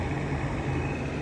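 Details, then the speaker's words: 110 CFM, 0.9 sone bathroom exhaust fan with grime on the motor and a taped, loose housing: steady loud low drone with a rough hum that never lets up. Loud fan motor noise; owner suspects bad bearings. "So, is the motor bad? Like, do you think the bearings are bad? Cuz it should not make this fucking loud noise."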